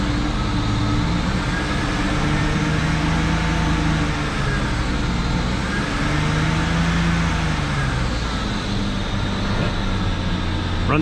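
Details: 2004 BMW 325xi with replacement engine (original blew head gasket), started after sitting a couple years and coolant refill, cold day: steady even low idle, no misses, knocks or hunting; runs well.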